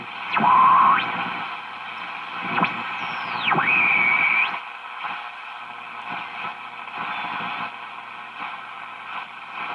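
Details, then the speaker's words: 1941 Crosley B36-BS battery farm radio on a battery eliminator, during servicing, no antenna connected: hiss, static and sweeping heterodyne whistles as the dial turns; good selectivity but stations barely pull in. Weak reception due to no antenna. "it's good pretty good selectivity between stations you see how just a little turn goes by that frequency I just can't pull it in because it doesn't have the antenna for it"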